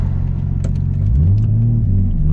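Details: RB25DET after the spark plugs were regapped from 0.45 to 0.55 mm, having previously struggled to start and idle. In a second-gear pull the deep rumble rises smoothly with no misfire or stumble; it pulls cleanly.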